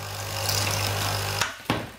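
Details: Coffee machine (capsule type) after clearing a clogged needle by poking it with a wire, set to hot: loud even low pump buzz for about 1.5 seconds, then stops with a couple of clicks; vibratory pump working normally, though water spills.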